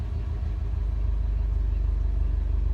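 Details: 2017 Subaru WRX STI after short block replacement for spun rod bearings, still breaking in: steady even low idle rumble with smooth regular beat, no knocking or ticking; running smooth with no problems.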